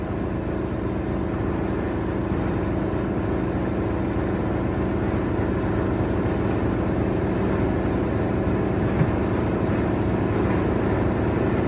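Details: 1973 Mack FR711 with a 250C diesel and quad box, pump primed by hand primer and electric pump: steady starter churning at about three beats a second with no firing; injection pump not building pressure, air suspected, so it cranks but won't start.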